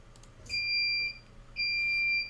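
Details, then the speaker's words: Diode laser with LightBurn work area set to 400 by 450, larger than actual machine: two steady high beeps from alarm buzzer, out-of-bounds travel error. "regardez quoi il se trouve que j'ai sorti la caméra ici c'est le voyant d'alarme, vous entendrez le buzzer alors regardez"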